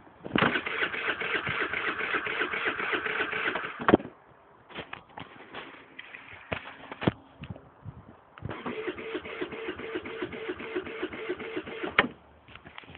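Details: Baotian: two long bursts of fast, even starter cranking with a gap between, engine never catches; cranks but won't start.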